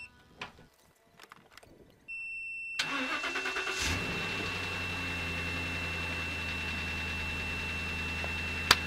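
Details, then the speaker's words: Car with a weak, borderline battery jump-started with a supercapacitor jump starter: a steady high electronic ready beep, about a second of rhythmic cranking, then the engine fires and settles into an even idle. "got to be kidding me that actually worked unbelievable"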